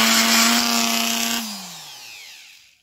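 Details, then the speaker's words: Parkside PGS 500 A1 500 W 220 V brushed die grinder grinding welded corners of steel boxes: steady high-pitched motor whine with gritty grinding on steel, then a smooth spin-down; tool runs normally. "Maintenant, je broie des boîtes en acier dans le coin où elles sont soudées ..."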